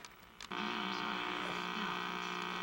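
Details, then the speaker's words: 1961 RCA KCS133 portable tube television at power-up: a steady low buzzy hum with no programme sound; the audio detector tube or circuit is suspected failed, and the horizontal phase detector diode is already judged soft. "so the horizontal phase detector diode is soft like I thought from the very beginning and the sounds like the audio detector tube or something the audio detector circuit crapped"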